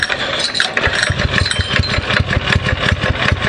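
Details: Predator 6.5 single-cylinder engine on Springer bike after carb upgrade with new jets, first start on new setting: catches and settles into quick even popping idle, no stumbling or misfires; fuelling sounds right — normal start and idle.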